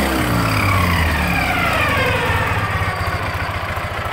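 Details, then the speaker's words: 2006 Ural Troyka 1WD sidecar motorcycle at 25,937 on the odometer, warm idle with a steady loose mechanical clatter over the exhaust pulse; it is suspected, not confirmed, to be the original Russian timing gears still fitted. "and it sounds to me like we're still running the uh russian timing gears i believe uh it could be wrong but it does sound like there's a little bit extra clatter which is probably the russian gears"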